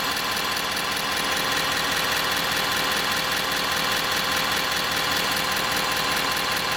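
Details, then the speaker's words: Transmission dipstick tube vibration on a 2017 Ford 6.7 Powerstroke diesel at idle, recorded from the dash: fast buzzing rattle over diesel clatter, long thought to come from the wiper motor area; the loose dipstick tube was the cause. "Something as simple as the transmission dipstick tube was causing all that aggravation the whole time."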